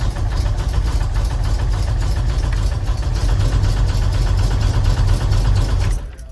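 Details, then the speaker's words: 1984 GMC S10 with 302 interim engine, built years ago, ran a day then knocked, low oil: rough heavy idle with deep rapid knock tied to engine speed; rod knock. "I just hear what the rod knock sounds like see sounds pretty rough doesn't have a ton of oil"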